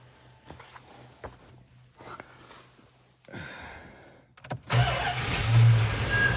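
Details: 1982 Chrysler Imperial with suspected dead fuel pumps, 13 gallons in the tank: a few weak cranks, no pump sound heard, then it catches and roars for a couple of seconds on ether only; no fuel delivery.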